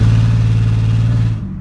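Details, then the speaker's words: Mustang accelerating hard, gas smell present: uneven low rumbling drone with a lumpy, stumbling pulse that drops away, cutting much of the power; misfire under load, cause suspected, not confirmed. "hear that like like kind of like rumbling noise that's how you know it's like a misfire cause it cuts like 75% of your power and it just feels super bad"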